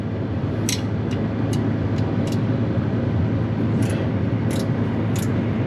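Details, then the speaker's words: 1967 Chevy Impala with a swapped 283 V8 that sat 40 years, idling at about 38 psi oil pressure; irregular tinny clicks over a steady rumble, suspected loose inspection plate or tin cover, not a knock; slight stutter, possibly carburetor. "something over here that sounds like it's either an inspection plate, something tin. It's a metal sound, but it's not a knock, but it's a metal sound."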